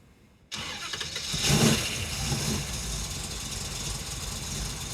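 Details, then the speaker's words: Holley 830 four-corner-idle carburettor on a V8 before leaning the idle mixture screws: starts, flares, then settles into a lumpy, uneven, stumbling idle; running far too rich, improved once the mixture screws are leaned. "Wow, it runs terrible. Now I'm gonna lean it out, see if it makes a difference."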